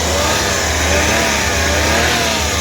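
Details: Suzuki DA64W turbo engine running after inspection, hoses still soft, only cabin filter needing attention: smooth even note holding steady, no knocks, ticks or rattles; quiet and healthy.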